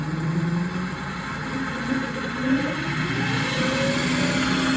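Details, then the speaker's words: Mini-lathe with a new direct-drive servo motor and new spindle, plastic gears removed, bearings spinning for the first time: steady electric whine shifting slightly in pitch as speed is set to about 3,500 motor rpm; no grinding or rattle, runs clean. "that's 3,500 motor speed, which should give us a couple of thousand on the shaft speed. Again, this is the first time the bearings are spinning at all"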